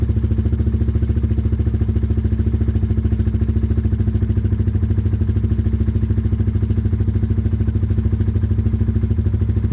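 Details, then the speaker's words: Project motorcycle started on a different, better battery after the old one seemed weak: it catches and settles into a steady, even low thump with no knocks or misses. Normal crank and start. "stronger sounded similar really but it is a better [Music] battery"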